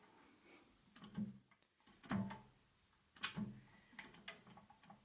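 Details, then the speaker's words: Harrison milling machine gearbox during disassembly/restoration, shaft turned by hand after backing off a fraction of a turn: three soft uneven clicks as shaft detents and springs back; detent clicking, to be checked when spindle is removed. "yeah I can feel that's definitely detenting it's probably only meant to do that yeah can you see the sort of how it just Springs back like that you can hear it clicking as well can't you"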